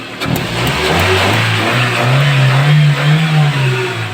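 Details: Toyota Corolla 16-valve, petrol/gas, revved at standstill: blips up and settles smoothly with no stumble; misfire occurs only under load uphill, suspected bad spark plug wire checked with multimeter.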